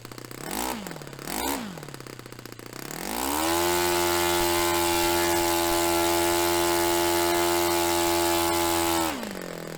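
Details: Restored Saito FA-45 Special on a test stand, 10% nitro fuel, warmed up. Two quick throttle blips, then a clean climb to a steady high scream near 10,260–10,300 rpm, against a manual peak of about 10,300. Holds five seconds, then drops. Normal run; top end richened slightly.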